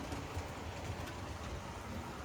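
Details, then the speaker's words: Conrail HO scale model locomotive (Concor) after its gears wore in with use: low, even hum with soft rail clicks and no grinding; now pretty quiet compared to its earlier loud running. "ht, I guess the gears had to get um used a bit and now the locomotive is actually pretty quiet compared to how it was before."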